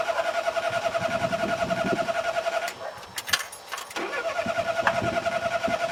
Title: Mommy's car won't start - Pedal Pumping cranking